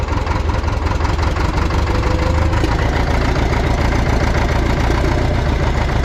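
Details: Cat D4 dozer diesel after cleaning holes, injector fuel leak present: settles into steady even idle with consistent low chug, no stumbles; running healthy after the work.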